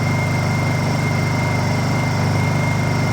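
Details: Honda EU2000is inverter generator, bought non-running, warming up before service (old fuel and oil to be drained, fresh non-ethanol gas and 10W-30 synthetic blend to go in): even, steady hum with soft pulse about 214/min and faint high whine, no misses or knocks; normal running.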